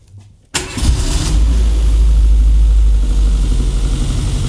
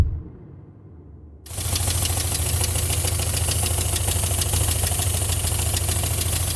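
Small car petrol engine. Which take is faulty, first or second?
second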